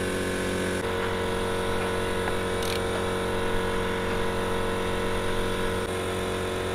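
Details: Modified Yamaha 125Z two-stroke after ignition timing was set: steady, even drone holding one speed with no misses, knocks or rattles; running cleanly.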